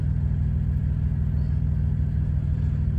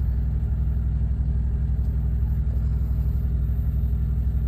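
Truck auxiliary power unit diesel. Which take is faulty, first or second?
first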